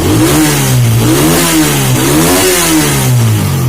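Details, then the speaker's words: Suzuki Satria F150 after cylinder head reassembly and valve shim setting: crisp, even throttle blips climbing and dropping quickly, idle stable around 1300 rpm; engine responds cleanly and runs normally. "gaspar rekannya sangat cepat dan RPL stabil Ini motor sudah selesai ke stage settingnya"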